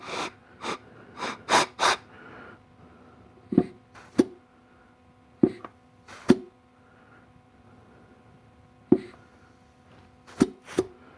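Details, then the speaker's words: Clutch air check on a 700R4 transmission from a 1991 Camaro Z28: short air blasts, each bringing a crisp thump, then quiet with no hiss and no bubbles at the center; input housing good, normal apply. "Sounds really good, and I didn't see any bubbles coming around the center here, which if there was, that means the input housing is bad."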